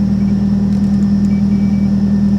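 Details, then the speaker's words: Salvage Mitsubishi 3000GT or Ford Probe at auction on low fuel, with good oil pressure and voltage: steady, even idle with a smooth low hum and no knocks, ticks or misses; engine and exhaust sound healthy, though transmission won't move. "okay but the exhaust sounds good the engine sounds good it does the oil pressure is good voltage is good"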